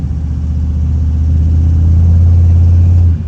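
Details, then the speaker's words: 2003 AWD Silverado with a 6.0L LS, 243 heads, sloppy stage 2 cam, GT45 turbo, 3.73 gears and the stock torque converter, brake-stalled in drive: the engine loads up and drones at only about 2,000 rpm; converter stall speed too low. "About 2,000 before it really loads up. And 2,000 RPM is not enough, especially with all-wheel drive."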